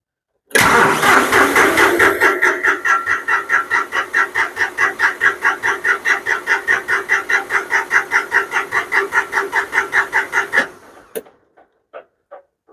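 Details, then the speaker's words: John Deere 5055D diesel tractor after fuel tank sludge cleaned out and refilled: ten seconds of steady cranking at about 2.5 compressions per second, never catching; no start from air in fuel line. "all right here we go yeah I got a little air in the line"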